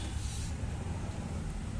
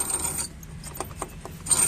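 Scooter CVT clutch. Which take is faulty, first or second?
second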